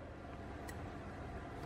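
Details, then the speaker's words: Electrolux single induction hob with cracked glass: after pressing the function button, sharp relay-like clicks about once a second with beeps over a low hum; it never detects the pot and doesn't heat. "Con này ấn Fly nó kêu tạch tạch không nhận nồi có một đời nó như thế nhá mọi người nhá"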